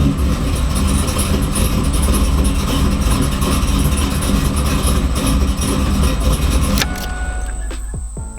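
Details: 2002 Camaro SS with freshly built LS engine, previously no-start with security light on, after VATS security disabled via HP Tuners: engine catches promptly, settles into a steady even rumble without stumbling, then shuts off cleanly; starts normally.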